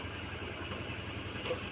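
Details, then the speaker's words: Honda Vario, about 2011, with a non-original CDI, whose starter only clicked because of a weak starter relay in the CDI: after jumpering the relay it starts again and idles short, even and steady with no misses, knocks or rattles, running normally. "kita starter lagi n motor sudah enak sekali ya tidak bermasalah apa-apa"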